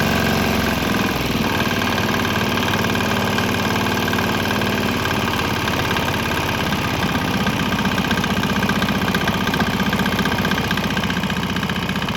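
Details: Swan X 165F Chinese single-cylinder diesel running on 100% canola fryer oil with about 10% leftover diesel; steady thumping chug at constant speed, firing evenly with no misses or stumbles, running fine.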